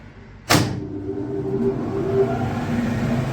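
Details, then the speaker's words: New aata chakki (flour mill) motor switched on through panel with capacitor set to engage after about 10 s: sharp thump at start, then steady motor hum and low mill rumble, drawing 10 amps; healthy start. "तो देखिए चक्की चालू हो चुकी है और ampere की बात करें 10 एम्पियर ले रही है।"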